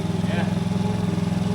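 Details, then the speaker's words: TaoTao GY6 50cc Chinese scooter right after installing a performance carburetor, before coil pack swap: steady even putter with no misses or hunting; normal idle, started better than before. "it's idling I mean it seems like it started better than it did before"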